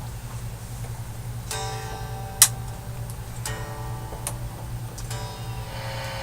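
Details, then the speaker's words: Mesa Boogie .22 Caliber tube guitar amp after repair and service, test played cranked up: clean guitar notes with a steady low hum and one small tick, no crackle. Normal operation. "[Applause] I would say it works pretty good a template to five years but I would say it's good"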